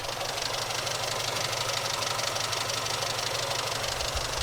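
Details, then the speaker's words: Austin A40 Farina classic car after ignition/distributor work: even, steady idle like a consistent purr with light regular valvetrain tick and hiss, no burps, coughs or bangs from the exhaust; engine running smoothly. "if the smoother it sounds the consistent sort of almost like a purr just a consistent per that's what"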